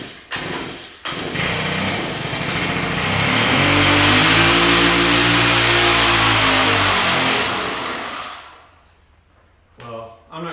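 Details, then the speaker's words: Shindaiwa hedge trimmer (AH254 in lineup), after two years of commercial use: catches and buzzes, surges, then sags and dies; owner smells fuel, says it's getting flooded and suspects carburetor problem not metering fuel right; engine struggling and dying. "As you can see, it's trying, but it's just not going to do it. It's getting a little flooded, plus somehow there's some carburetor crap jacked up in there too, because it's, you know, you can hear it's getting running, but it's dying out, like it's not getting the right amount of"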